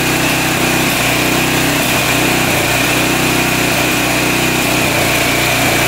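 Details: 1985 Honda XL600R single, sat a couple years, oil put down the cylinder, started on choke: thumps unevenly at a fast idle with some hunting in speed, smoking; runs but lumpy and weak, rings hoped to free up.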